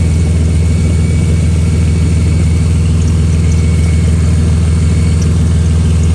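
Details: Car engine idle: deep, steady rumble with a faint pulsing puff about twice a second; likely an exhaust leak, exact spot unclear.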